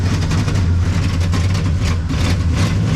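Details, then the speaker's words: 1974 Chevrolet C10 small block, claimed Corvette motor, off the road over 10 years: a deep, lumpy idle with uneven pulses and a stumbling beat; running terrible, the owner thinks the timing is too advanced and the carburetor needs work. "It's running terrible. Perfect. Great. Carburetor's on the list in case you guys were curious. I think the timing's a little too advanced."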